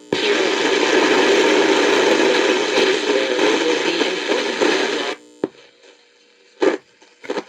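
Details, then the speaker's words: Philco Model 7030 signal tracer: harsh, fuzzy, clipped output for about five seconds; signal sounds good into the suspected audio output transistors but distorted coming out, as if unbiased (suspected, unconfirmed). "So it sounds good going if If those are the audio output transistors right there, it sounds good going into them, but coming out it's all distorted and clipped and sounds like they're unbiased."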